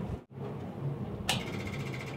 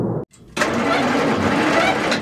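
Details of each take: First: 1940s Bay City Model 30 cable crane/dragline abandoned over a decade, 6-volt positive-ground system powered by a borrowed 6 V battery; its old Bendix 6 V electric fuel pump ticks sharply about a second apart, cycling normally. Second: 1940s Bay City Model 30 crane/dragline engine, unused over a decade: two long bursts of slow, uneven cranking that never catch or fire; cranks, no start.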